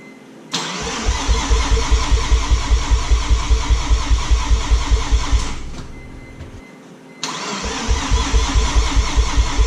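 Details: Mazda RX-7 FD rotary gives two long bursts of even starter chugging, about 2.5 per second, never catching. Owner blew a seal turning it by hand, fears engine damage, and will change all four plugs.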